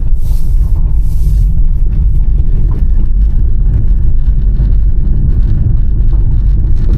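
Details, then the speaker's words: 2026 Honda HR-V EX-L driving on a rough road: under the road rumble there is a constant loud rattle from a loose plastic panel on the side of the console that stops when pressed by hand; interior trim rattle. "It's just going down the road. There's a loud rattle, constant. It's coming from this piece of plastic right here."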